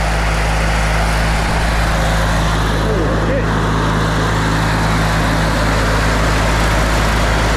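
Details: Older Briggs & Stratton Sentinel by Murray ride-on mower, just started after starter motor drive gear repair: single-cylinder engine runs at steady, even throttle with a constant low drone and no knocks or misses; healthy.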